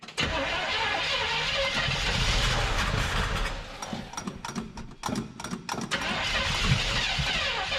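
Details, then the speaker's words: 1975 Chevrolet C20 Scottsdale pickup, first start attempt in nine years, primer bulb squeezed: starter churns about four turns a second with a few stumbles but never catches; accelerator pump not squirting, fuel not reaching carburetor. "the accelerator pump is not doing accelerator pump things"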